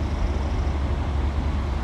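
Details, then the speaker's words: 1990 Fleetwood Bounder Class A motorhome, big-block Chevrolet, after new exhaust donut gaskets, springs and nuts were fitted: a deep, steady, even rumble with no ticking or puffing at the manifold. It sounds much quieter and is running normally again. "man that sounds so much better huh"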